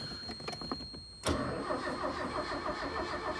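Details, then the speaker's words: 1993 Mercury Capri with a key-on no-start, fixed by connecting a new 80 amp fuse in place of the blown one: the engine catches immediately and settles into a steady, even idle with no stumbling. Normal start and idle. "starts all right so just replace the 80 amp fuse"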